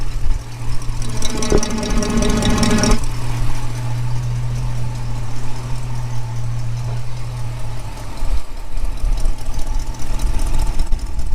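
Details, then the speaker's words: 1965 Ford Mustang convertible, refreshed 289 V8 with AOD conversion, idling, listened at the exhaust manifold with a tube: steady rumble with quick ticking puff; suspected loose manifold joint donut after crossmember install. Exhaust manifold leak. "yeah i think that's i think that's the case i think the uh the donut or whatever's in there has been worked loose or maybe i can get in there and tighten it"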